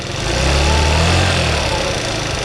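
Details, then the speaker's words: 50cc two-stroke scooter, warmed up, idle just turned down: buzz swells as throttle opens, stumbles briefly then picks up and holds; slightly boggy off idle. "As you can tell right out the hole, it's a little boggy."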